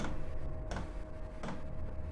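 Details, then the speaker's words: Chinese 8 kW diesel air heater at startup, glow plug warm-up 2-3 minutes, set to setting 3: sharp regular dosing pump ticks about every 0.7 seconds over low fan hum before diesel lights; normal startup. "This is how they start up, and then you get a bit of a roar as the diesel lights, and then you should see some heat come out of it."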